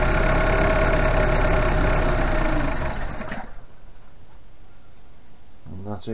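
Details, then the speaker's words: 1988 Suzuki Vitara 1600 carb engine, off road since 2004, float bowl hand-filled: brisk even cranking about three seconds without a catch; no fuel from pump pipe, mechanical pump suspected dead, line blockage thought unlikely; crank no start. "for the fuel and there's no fuel coming out of that pipe so that means there's either a brake blockage in the fuel line"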